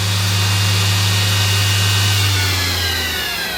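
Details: Mori Seiki NTX1000/SZM dual-spindle CNC lathe (79,169 machine hours, 26,832 spindle hours), sub-spindle run at 6000 rpm: steady even hum with smooth high whine, then clean coast-down without grinding or rattle; sounds normal.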